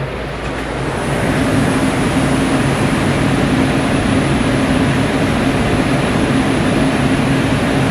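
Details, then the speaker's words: Walk-in cooler set to 40°F, reading 32–33°F inside, with the refrigeration still running. Steady compressor and fan roar with no let-up: the unit runs constantly without cycling off. The tech suspects the temperature control and recommends replacing it. "I set a temperature to 40 degrees and it's still running so it's intermittent inside so I'm gonna go ahead and recommend that temp control because what I'm thinking is happen it's just a runs constantly"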